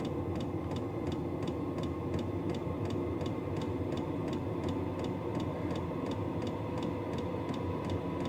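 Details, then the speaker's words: Vevor diesel heater starting up: crisp, regular ticks about two or three a second from the fuel dosing pump over a fan hum that ramps up, outlet around 91–93 degrees; normal fuel pump ticking during warm-up. "e clicking in it. And then you can hear it starting to make the noise. It's ramping up. It does get quieter once it gets going, but it kind of hums a little bit as it's starting off."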